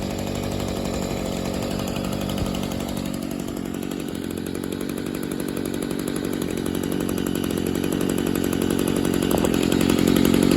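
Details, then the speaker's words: 2011 Stihl SH85 two-stroke leaf blower, free unit said to need carburetor; primer bulb new, fuel lines fine, fresh fuel, carb adjusted slightly, new spark plug and fuel filter; started on half choke, revs up cleanly with good throttle response, no bog, runs normally. "so by no means did it need a carburetor I will say that I did adjust it a tad bit to give it a better throttle response and everything"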